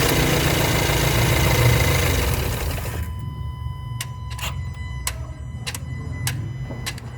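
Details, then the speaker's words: Volkswagen Amarok after repair of a front engine noise with check-engine light: even idle, then the engine winds down cleanly at shutdown with no clatter or knock; light no longer on, normal stop. "Só o barulho normal do carro ele vai desligar dá para ouvir a trabalhando deando Porém não tem mais aquela barulha for você vai ouvir ó"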